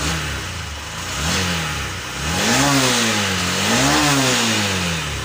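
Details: Honda SP BS6 motorcycle, 3381 km, that had misfiring and hard starting, after injector replacement: catches and revs cleanly, pitch rising and falling smoothly with throttle, no misfire or stumble; normal start and rev.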